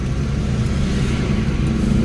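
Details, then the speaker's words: Nissan Sentra after ECU repair and all 4 ignition coils replaced (was misfiring and sometimes stalling while driving): cold start, deep steady rumble at raised fast idle, running evenly without stumble; checking whether idle comes down. "Start natin. Okay, so cold start. Yan natin kung bababa pa yung minor"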